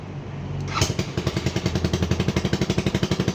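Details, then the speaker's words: AXXO Viper 180cc scooter: loud, sharp chuffing pop on every firing pulse, about four a second, rising as it revs; excessive exhaust noise from gas escaping at the exhaust gasket. "lo podemos apreciar el ruido excesivo exagerado el escape vamos a acelerar era obviamente el sonido aumenta"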